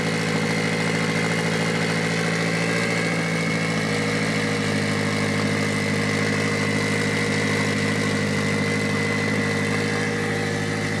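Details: Mitsubishi Evo 8 4G63T with front-facing turbo kit, first start after owner's engine rebuild (pistons, crank, timing); high idle, throttle body adjusted; smooth steady idle, even low hum, no hiss, hunting or misses: normal idle.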